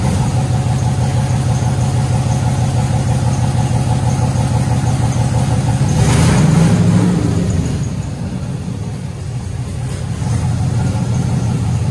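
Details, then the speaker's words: 1967 Chevy Impala V8 that had set a cylinder 5 code, after a spark plug fix and small tweaks: uneven, lumpy beat at idle and through a short rev. It still runs okay-ish but rough; cause not yet found. "I was running not great it was okay-ish but not great and I was like what the hell's going on"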